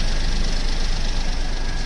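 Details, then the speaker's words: Automatic Maruti Wagon R after replacing the clutch set, clutch bearing, flywheel bearing and main oil seal. The earlier kach-kach noise from the gearbox is gone. Low, steady idle hum with no rattle and no noise from underneath; normal idle. "पहले काफी आवाज आ रही थी लेकिन जो sound है वो बिल्कुल खत्म हो चुकी है देख सकते हो नीचे की साइड से भी कोई आवाज नहीं है"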